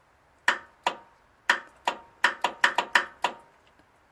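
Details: Craftsman DRM500 Yard Bug 10HP riding mower, new battery cables fitted, battery connected, original solenoid not yet changed: only sharp dry clicks, about ten in four seconds, no cranking; starter solenoid suspected bad.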